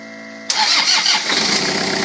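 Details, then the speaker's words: 1985 Toyota 4Runner crawler converted to Toyota 3L turbo diesel, cold start at about 50-60°F: Viair compressor hums, then diesel fires at once and settles into a steady, even idle clatter; healthy start, compression even across cylinders. "starts right up. We did a compression test on it."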